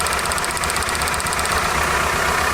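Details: 1998 Toyota Camry with a constant single-cylinder misfire (codes for cylinders 2 and 3): an uneven, lumpy idle with a stumbling beat as one cylinder drops out, a dead cylinder with its injector unplugged; plugs and wires were checked as fine.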